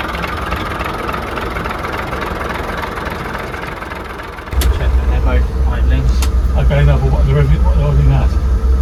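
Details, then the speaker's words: Class 117 DMU 51412 diesel engines at their first start in five years, after injectors were cracked to bleed air from the fuel: handling noise, then a low, even throb idling about 500 rpm with no knocks; healthy idle. "They're idling at about 500."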